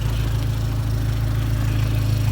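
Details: 2004 Dodge SRT-4 idling after a crank-no-start from corroded power wiring to the starter, check engine light on; low, even idle with no misses, knocks or stumbles: normal idle.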